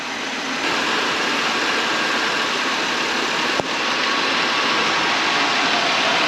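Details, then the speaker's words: Chevrolet Monte Carlo with code P0420 idling under a loud, constant suction hiss; brake-clean spray testing located a vacuum leak at the EGR-to-intake gasket under the throttle body. "Now that you know where the vacuum leak is, you can look around, see what's going on. And again, this one ends up being the EGR gasket to the intake down under the throttle body is bad."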